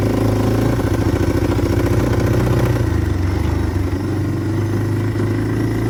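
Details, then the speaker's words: 1997 Yamaha Timberwolf 250 ATV, recently revived, oil checked, on first test ride in gear: uneven popping single-cylinder beat that spits and sputters under throttle instead of pulling cleanly; owner suspects it is running rich and may swap a jet. "Well, guys, after riding it, I don't know if you could tell, um, but it's spitting and sputtering a lot. It didn't sound great. Um, I think it's running a little rich."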